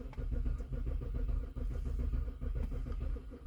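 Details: BMW E70 X5 (2007-2009), sat a couple of months with dead battery, key security OK: steady even cranking chugs that never catch; crank no start.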